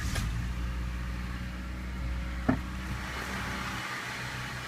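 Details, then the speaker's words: 1995 Honda Civic Si coupe, 1.6 manual, idling after new Bosal intermediate pipe/resonator and muffler installation: low, soft, even hum, slight back pressure at the tailpipe, a bit of air escaping at a flange but quiet overall; normal idle. "By the sound of it, it's very nice. A little bit of a back pressure there when I put my hand over the exhaust pipe."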